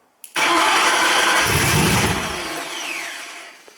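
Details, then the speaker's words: Cobra engine on first start: catches with a sharp burst, then speed sags and fades instead of settling; unstable idle after start, possibly down to the idle control loop needing work. "what you probably could see there is that the engine started up and didn't idle and it turned out to be quite the ordeal to to get it sorted"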